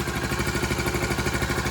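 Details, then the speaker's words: 1984 Honda ATC110 three-wheeler at first start-up after restoration, tank cleaned, fresh oil, smoking slightly from burning off paint; even, steady putt-putt idle with no valve ticking or knocking; normal idle. "No valve check. No knocking."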